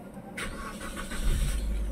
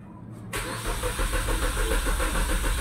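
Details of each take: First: Suzuki Swift that had not run for four years, after parts were removed, cleaned and refitted: quick crank, catches at once and settles into a smooth, even idle; normal start. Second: Suzuki Swift unused for four years: starter cranks with a steady chug, about three and a half turns per second, but never fires; crank no-start from faulty ECM and immobilizer.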